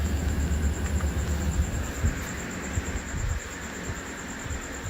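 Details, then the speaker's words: Carrier mini split indoor fan coil, supply fan speed driven by a 0–5 VDC signal converted from the VRF unit's PWM speed output, at 5 V: steady low rumbling air rush, no knocking or scraping; fan running normally on high speed. "i think i got it i think i've got it so it's uh on high speed that's on high speed"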